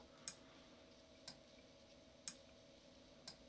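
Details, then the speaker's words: Arduino driving a 2-channel relay board wired across a diffuser's buttons: crisp clicks about once a second as relays switch on-off, pressing buttons to change mode and light colour; normal relay operation. "and the clicking you can hear is the relays switching each way so effectively on-off on-off clicking"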